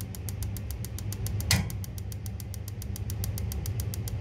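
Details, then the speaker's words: Church boiler with pilot tube, two solenoids and electronic ignition via HT lead, previously locking out from a shorted ignition lead, after cleaning and rerouting the wire: crisp sparking ticks about seven a second, none missing; pilot tube suspected full of air. "it's sparking every time that is just the cable but I think it's just the pilot tube now is full of air"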